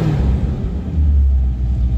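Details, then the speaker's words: Sebring 500 started cold, first crank, Flowmaster mufflers under 1,000 miles old: deep, steady exhaust rumble at about 800 rpm idle with an even beat and no misses; normal, stable idle. "idles very comfortably at about 800 rpm and is very stable and this is the end of the video"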